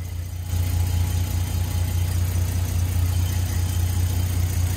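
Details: Nissan GQ Patrol after a no-start fixed by wiring the distributor feed to constant ignition power: steady low idle hum, even and settled with no misses or knocks; normal idle.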